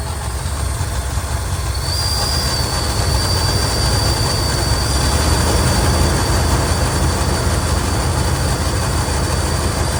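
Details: 1980 Lincoln Continental revived from a salvage yard: deep steady rumble with rapid puffing chuff, about four a second, over a constant thin whistle; exhaust leak up front, owner suspects plugged exhaust or muffler making it run rough.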